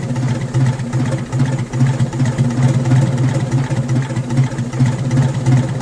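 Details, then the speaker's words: Detroit Diesel in a vintage abandoned GMC truck, smoking the whole time; low uneven lumpy chugging, about two or three pulses a second, no clean rhythm; choking for air with the intake shutoff stuck closed. "I don't know what I'm missing, but it just don't sound right. It don't run right. It smokes the whole time."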